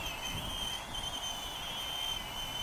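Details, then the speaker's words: Full Speed Bat-100 1S brushless mini quadcopter with updated motors, flying in windy weather: piercing steady high whine throughout, loud enough to be annoying; the new motors may last longer but are noisier, squealing brushless motors. "the downside to that is it is a lot more noisier to the point where it's kind of annoying on the ears as what I thought"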